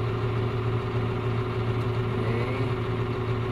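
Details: Misfiring Cat 950H wheel loader diesel idling after start, slightly uneven lumpy beat; error code 36 (engine section) shows an injector fault on one of cylinders 1–6, one cylinder dead.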